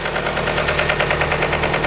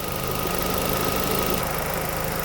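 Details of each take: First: 2003 Nissan 2.5L engine after timing chain and water pump work, oil level correct: rapid light ticking over steady idle from the top end near the cams; suspected camshaft contacting the valve cover. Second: 2003 Nissan Sentra SE-R 2.5L warm idle after timing chain and water pump replacement: smooth steady hum with both cooling fans whirring, no knocks or ticks; normal idle.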